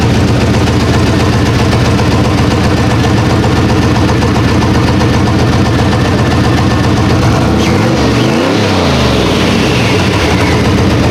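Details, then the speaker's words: Chevrolet Silverado single cab with electric exhaust cutout: steady, even idle rumble, muffled stock-like note, no knocks, misses or ticks; idles normally. "it sounds like a stop truck it just needs power throughout right"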